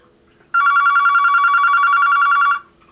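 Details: Vintage two-line Panasonic KX-TS25-W telephone tested on line 2. Steady two-second electronic trill warbling about three times a second at a bright mid pitch, clean and even: normal telephone ring.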